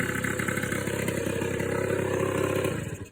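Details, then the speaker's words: Suzuki LT80 two-stroke ATV first start after a top-end rebuild with a new cylinder and piston: quick, even, clean popping at a fast idle with no rattle, then it shuts off; normal idle before break-in. "There we go. That would have turned the fuel on, wouldn't it? That's better sounding."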